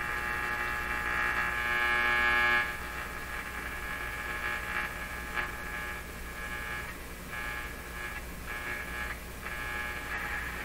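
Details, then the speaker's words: Hallicrafters S-38 four-band tube radio after power supply electrolytic capacitor replacement: constant low hum across the band under faint stations; owner suspects one of the tubes, not the power supply; mains hum. "so the hum is it's quite likely the hum is coming from one of the tubes um i don't think it could be coming from the power supply not with all this capacitance here"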